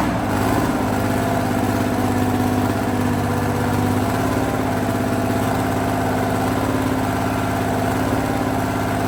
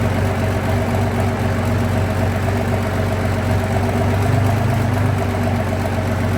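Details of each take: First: Abbot diesel engine in workshop repair: runs steady but rough with uneven low thrum and sharp knocks; a component was found snapped off the side of the engine, a part that should have been removed. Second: Abbot diesel engine on a very cold day, workshop test run after repair: steady, even low idle at about two pulses a second with no knocks or misses; running UJ later went out of balance and snapped a casting off.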